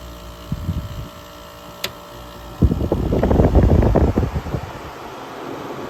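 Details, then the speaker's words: 1994 EQK-rebadged Fedders A2Q10F2GB 10,000 BTU air conditioner, Rotorex rotary compressor, full charge, blowing ice cold: fan whoosh over low even compressor drone, no knocks or squeals; runs healthy. "Very quiet for a Rotox rotary."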